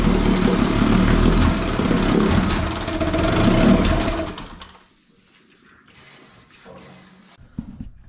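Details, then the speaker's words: 18 hp Evinrude outboard sitting in water, no load, after a carb rebuild with the air screw still being adjusted: it runs loud and choppy about four seconds, then dies. Owner suspects fuel supply, possibly because the tank is lower than the motor. "it seems like it still cuts out i think it's because of fuel every time i i squeeze that little pump um it usually runs a little better and then it starts to die"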